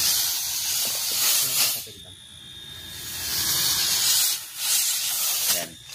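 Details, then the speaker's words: Good refrigerator/aircon compressor running with suction open: a strong, steady hiss of air from the discharge in long forceful surges that the thumb cannot block (thumb method), so compression is good, not loose. "Hindi mo kayang pigilan yan. Okay. Hindi kayang pigilan ng thumb."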